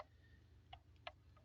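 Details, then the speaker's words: Dumper gearbox, engine running in neutral or driving: very loud sharp metallic clicking over low engine rumble, from a synchronizer (blocker) ring with broken dog teeth that wobbles; replacement part needed before further running. "when the engine is running even though the machine is is in neutral or running as well due to vibration into the and and the drive that is coming from the shaft to here it's making a very loud clicking noise"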